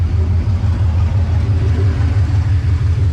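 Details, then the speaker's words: LS V8-swapped Nissan Patrol after rear main seal repair and gearbox refit, running 5–10 minutes with no exhaust fitted: deep loud lumpy rumble about three pulses a second, steady with no knocks; normal idle. "So I've been letting it run for about 5 10 minutes no exhaust on it so it sounds hectic"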